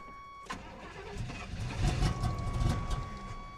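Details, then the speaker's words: 1988 GMC Sierra short bed with a carb-swapped 350 V8, headers, Rock intake and a clacky electric fuel pump just hooked up: the starter whirs, then the engine runs ragged, surging and sagging with uneven firing. Rough start, cause unknown. "well something's happening that doesn't sound very good"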